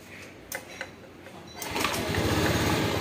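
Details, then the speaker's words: Honda Scoopy ESP fuel-injected scooter, weak/dead battery (borrowed battery fitted), being started by kick: a couple of kicks with no catch, then it fires into a fast, busy idle; hard starting from a clogged fuel pump filter, weak fuel pressure, idle surging. "Nah enak ya tapi terkadang itu susah banget terkadang susah banget"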